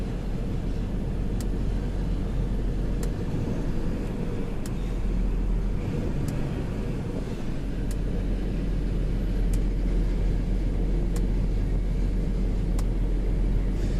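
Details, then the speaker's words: 2004 Pacifica idling with a lumpy, uneven low rumble from a persistent misfire. A bad coil was not the cause; the owner blames a bad wire in the harness, to be fixed by splicing. "definitely still has the misfire chickens and line ain't going away from nothing"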